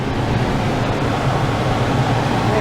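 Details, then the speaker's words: Tempstar furnace ECM variable-speed blower motor after repair (burned thermistor in control module replaced), AC mode on high speed: steady even rush of air, no rubbing, ticking or wobble; cold air delivered, normal blower operation. "here comes the fan this is the high speed setting and it's on high speed"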